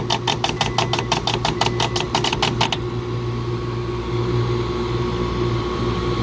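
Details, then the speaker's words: Two-stage Carrier R-410A package AC unit, not cooling on a 90°F+ day: rapid buzzy contactor chatter about six per second over hum, then stops; blamed on a faulty pressure switch, compressor went out on overload. Both refrigerant circuits had major restrictions. "it's that damn switch I think the compressor I don't know if it's still running or not no it's not"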